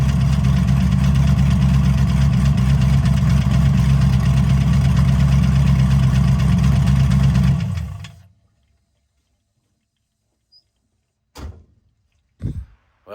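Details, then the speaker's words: Engine running after rebuild, following nitrous dyno pulls: an even tick around 220 a minute under a low rumble, until shutdown; owner suspects a rod bearing, cause unconfirmed. "I decided to start up my buddy the other day so we could hear it and I knelt down beside the car and I hear tick tick tick tick tick taken put my head down there and all of a sudden it's like yeah that's rod bearing o"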